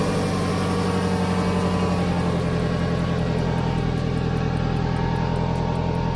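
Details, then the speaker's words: Car idling after a clamp and exhaust mounting paste were fitted to the joint between the rear muffler and middle pipe; a puffing, ticking pulse on the exhaust note shows the joint still leaks. "so yeah i have some leaks"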